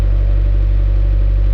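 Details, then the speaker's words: 1986 Suzuki Samurai with 1.6 VW turbo diesel, after fitting a larger new battery and glow plug cycle: steady, even low idle clatter with no misses or knocks while oil pressure builds; healthy cold idle. "there it is there's my samurai i want to let the oil pressure build up"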